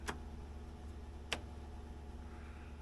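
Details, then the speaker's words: Polaris RXL fuel-injected triple snowmobile, engine and computer out, sensors unplugged: 12V applied to the fuel pump gives two sharp clicks over faint background with no pump hum; the pump is stuck and never runs, second bad pump. "oh yeah 12vt be a tingly nope still nothing well sounds like a second not good pump yeah you would have been able to feel that"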